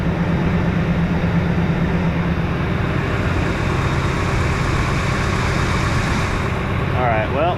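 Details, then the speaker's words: Ford F-150 5.4 Triton at start-up idle after a screaming serpentine belt complaint; smooth low rumble with no belt squeal and no knocking heard; normal idle, knock reportedly at high rpm low load yet to be recreated. "stting the engine not squealing that's fantastic all right knocking noise knocking noise I don't hear"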